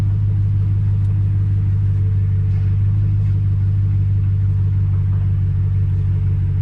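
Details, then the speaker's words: Truck running after power steering fluid flush, wheel turned lock to lock: smooth even low engine hum, no whine or groan; pump that used to hum loudly now sounds healthy. "But the power steering pump already sounds a lot better. It used to make a loud humming noise."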